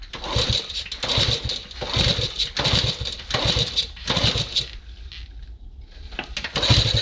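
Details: Honda CT90 being revived: repeated kick-start strokes about one a second turn the engine over but it never catches; cranks but won't start, owner considers trying ether, cause not confirmed.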